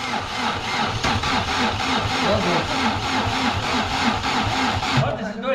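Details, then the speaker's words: Chevrolet Vectra parked ten years: rough, lumpy idle with uneven chuffs about three a second that stumble and skip; misfire, running on only two cylinders. "tá que quer tá saindo dois cilindros"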